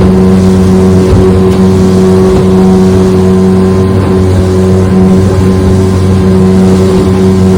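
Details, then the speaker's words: Restored 1996 Johnson 15 HP outboard, model J15RED0, after a part that made it overheat was replaced; it clocked 20–21 mph on an earlier run, but it cannot be opened up here. Loud steady low-pitched buzzing drone under way, with no misses or surges. Normal running. "It was clocking 20, 21 miles an hour before on the earlier run, so I'm sure it's still doing that."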